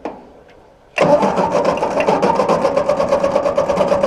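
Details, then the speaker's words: Ford NAA Golden Jubilee tractor (1953/1954) untouched over 20 years, first attempt with choke on and throttle halfway, fuel in tank: starter churns at four to five even beats a second, never firing; owner suspects no spark. "All right. Well, of course, we may not have spark. We should probably have a look under that distributor cap."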